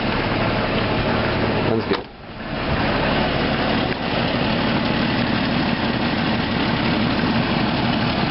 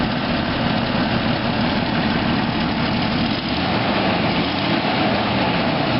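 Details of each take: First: 1993 Jeep Grand Cherokee idling after exhaust manifold replacement: light, uneven puffing tick over a rough exhaust note; much quieter than before but the header is also cracked and still leaking, bolts to be tightened. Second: 1993 Jeep Grand Cherokee after exhaust manifold replacement, with new power steering pump and radiator: steady, even idle with a smooth low rumble and no sharp ticking or puffing; the exhaust leak is much reduced and the engine sounds healthy.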